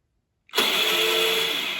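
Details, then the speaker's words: Honda HRX217 electric-start lawn mower, key turned: a high thin whir starts and fades with no cranking beats, starter spinning without its gear engaging; weak internal battery. "See how it's not engaging, it's just spinning. It's not enough battery power to push out that gear inside the starter to turn the engine over."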